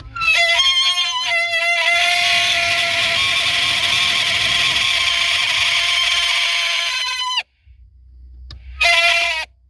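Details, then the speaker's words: Blower motor on a WS6 Trans Am, removed from the dash and bench-run: a steady high-pitched squeal rises as it spins up and holds until switched off. It had run quiet earlier; motor failing, to be replaced. "It's weird. Before I was running it and it was totally quiet. So I guess we're getting a new blower motor."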